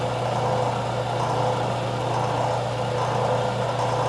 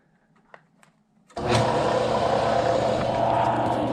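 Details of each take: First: Craftsman 101 12-inch lathe motor after fix: end housings removed and rotated a quarter turn, capacitor wire extended. Smooth, constant low hum at steady pitch, no knocking, scraping or whine; motor runs clean. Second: Craftsman 101 12-inch lathe motor on temporary mount with adjustable belt: starts with a thump, then steady hum with coarse rough edge; strong vibration felt in motor, possibly worn bearings, pulley possibly slightly out of round.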